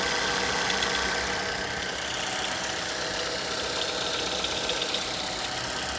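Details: Mazda 6 GH 2.0, cold idle after long standing at 1000-800 rpm: light regular ticking knock about four per second; disappears once coolant temperature needle starts rising; internal engine knock, cause not confirmed.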